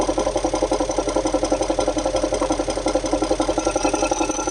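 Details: Audi A8 D3 4.0 V8 TDI (ASE) at idle: loud rhythmic metallic knock about three per second; pulsing crankcase pressure at oil filler, VCDS shows cylinder 8 deviation +1.98 mg/str; suspected lifter, timing chain or injector, unconfirmed.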